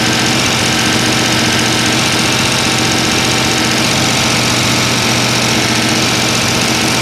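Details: Mopar 383 V8, mostly stock rebuild, on run stand with timing set: loud, busy idle with a dense even top-end clatter and no stray knocks or misses, all lifters turning; fresh engine running as it should.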